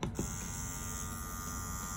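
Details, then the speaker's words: Dragonhawk Atom M5 pen tattoo machine at 7.3 V, running a 9 round shader: a steady, even high buzz at fixed pitch with no knocks or rattles. Smooth, quiet normal running. "And it's super quiet. There's nothing adverse going on. The machine feels super smooth."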